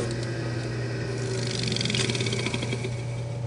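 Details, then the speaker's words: Rebuilt 1/2 hp dual-voltage single-phase motor with new capacitor and bearings, running clockwise, unbolted, no load, about 3 amps, not warming: even steady hum at constant low pitch, no scraping or rubbing; normal running. "we're not getting warm at all we got no load on this and we are drawing about 3 amps"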